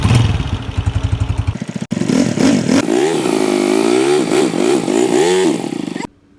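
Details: Honda CG125 motorcycle single-cylinder engine; rough clattery pulsing at first, then uneven revving rising and falling: abnormal mechanical engine noise, cause not yet identified.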